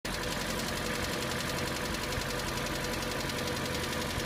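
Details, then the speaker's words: Hyundai ix35, 2.0 litre 150 hp, 74,000 km, over 3 years old and under warranty: a cold-start idle with an uneven tapping knock just under twice a second, lasting about 25–30 seconds then stopping. The cause is unknown; it is going to the dealer. "Вот звук пропал. Примерно 25-30 секунд стучит."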